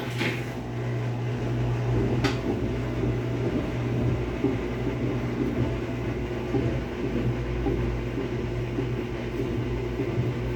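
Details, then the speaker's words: Whirlpool washing machine on the spin cycle: a steady low hum with a rough, gravelly rumble as the drum spins. The drum bearings are worn and dry after water leaking onto them; the machine also leaks water. "pues vamos a escuchar lo que es los baleros ya están dañados esta lavadora hace ruido y tira agua"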